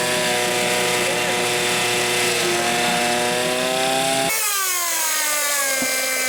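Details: Hangkai 6.0 two-stroke outboard, 2020, two seasons, was sneezing through carburetor and not starting due to broken reed petal; test run after replacing reed, remote tank: high steady rev then settles to even idle; normal running.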